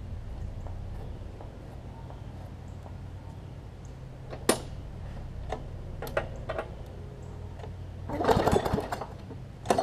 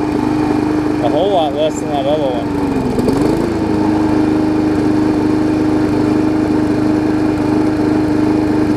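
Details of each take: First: Briggs & Stratton Classic engine swapped onto a Hyper Tough mower deck, throttle set a bit high: steady buzz with an unsteady, shaky beat and rattles; rough running with vibration, cause not confirmed. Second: Briggs & Stratton Classic engine swapped onto a Hyper Tough mower deck from a Weed Eater 22" mower: steady high buzzing run with an even tone that dips briefly once and recovers; runs smoother than the old one, healthy.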